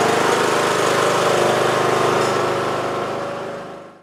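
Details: 20-year-old Bolens lawn tractor, Briggs & Stratton Intek 15.5 hp, after cleaning corroded connections from key switch to fuse holder, solenoid and battery and fitting a new starter solenoid, choke on: starts, runs steady and even, then stops cleanly.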